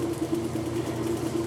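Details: Kenmore washer, stopped halfway through wash cycle after sitting about six months, running after broken lid switch was bypassed: steady, even mid-pitched motor hum, no knocks or grinding; running normally.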